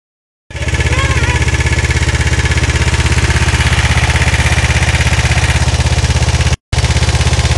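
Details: Kawasaki GPZ 500S twin at fast idle: strong steady low pulsing with a faint extra rattle on top; engine noise, cause suspected, not confirmed.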